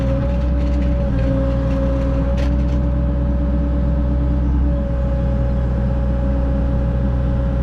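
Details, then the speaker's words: Caterpillar mini excavator digging: steady heavy diesel drone with constant mid-pitched hydraulic whine, louder than ever before; operator plans to check hydraulic fluid. Unusually loud hydraulic noise. "Sounds like it's loud. Like, hear that? I better check the hydraulic fluid. It's never sounded that low before. That loud."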